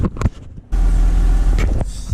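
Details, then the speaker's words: 1990 Honda Accord after installing a new muffler where none was fitted: after a few knocks the engine settles into a low, soft, even hum with no rasp or blat; exhaust now properly quiet. "No more loud noise, y'all. Oh my goodness. This is crazy. She sounds so quiet now, man."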